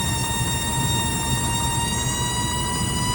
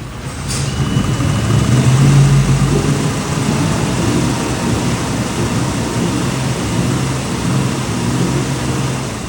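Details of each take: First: Volvo Penta/Crusader marine EFI water-cooled electric fuel pump squealing near 1 kHz over engine rumble, worsening and hot, because its raw-water cooling line is restricted; verify water flow before replacing the pump. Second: Volvo Penta/Crusader marine EFI engine with a water-cooled electric fuel pump, after clearing failed raw-water impeller fragments from the pump's cooling line: steady low rumble at idle and revving, with the previous fuel-pump squeal gone.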